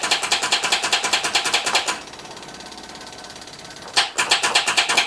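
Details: 1979 Chevy K20 squarebody, sitting ~30 years: two short bursts of sharp, tinny starter chatter, about two a second, never spinning up; starter failing to crank, apparently stuck engaged with key sticking in start, owner feared spun bearing.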